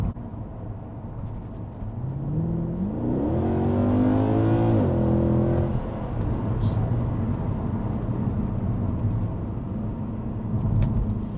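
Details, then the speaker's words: Mercedes C63 (W204) on first road test, 3-4 miles of local roads at 30 mph: smooth rising engine note pulling through gears, settling to even cruise, no knocks or bangs; normal acceleration. "No knocks and bangs. Engine actually driving really well, pulls well."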